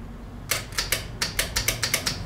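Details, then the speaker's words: Cooling fan relay clicking sharply, about nine clicks in under two seconds, but the fan gets no power and does not spin; the wiring was just flipped from passenger to driver side, and the poles are suspected wrong. "See if that's it. Because I hear it clicking. We just ain't getting no power. Fan's not coming on."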